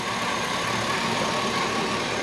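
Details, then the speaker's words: Chevy 5.3 LS in a rusted Tahoe donor that was not running when bought, now running: even, steady V8 idle with a smooth low hum, no ticking or knocking, far quieter than before; normal idle. "But look at how smooth that thing runs and how quiet that is. I mean, that's amazing for what it sounded like before."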